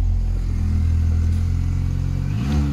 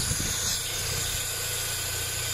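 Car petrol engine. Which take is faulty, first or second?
second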